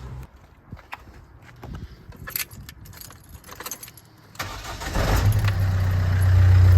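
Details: Diesel Ford Fiesta after parts were replaced with new and a whining alternator swapped for a new one: keys rattle, then the engine catches and settles into a steady, slightly clattery idle with an even beat; healthy running.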